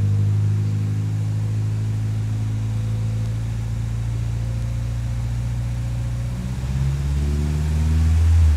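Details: 1959 Triumph TR3A during a pre-purchase inspection, idling around 600 rpm then blipped: smooth, steady four-cylinder note that climbs cleanly and evenly, no knocks or misses, with good oil pressure. Healthy free rev.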